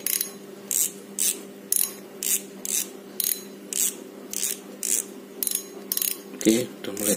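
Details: Penn Battle II reel after gear rebuild, greasing and cover reassembly, drag being checked: crisp ratchet bursts repeat evenly about one and a half per second, clean and sharp; drag clicker working normally.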